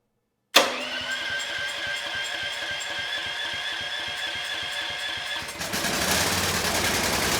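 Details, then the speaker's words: Discarded 7000 W Champion generator (model 41532, built July 2013), first start after carb work, choke on, light load plugged in: a long run of steady cranking before it finally catches into a rough run. Hard starting, cause unknown. "Now you know we are having some run issues. It took a lot of cranking with the choke on before it would start"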